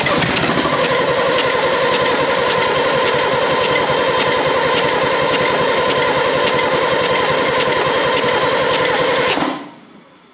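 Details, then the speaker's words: Second AEC Matador diesel engine, compression gauge fitted during cranking: light even cranking that never catches; reading peaks near 280 against 300–400 wanted; low compression. "do you see when it nearly fired it went right up right up yeah but it's not it's not going much above 280 is it no not at all I think that's telling us all we really need to know isn't it"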